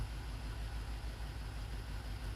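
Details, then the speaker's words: Alpina B7 (BMW) at idle with a bad ignition coil: low, lumpy idle with uneven pulse and dips, a little shake, running poorly from one cylinder; ignition coil misfire. "oh yeah there's a little Shake I'm surprised it's only misfiring on one cylinder that it would run this poorly"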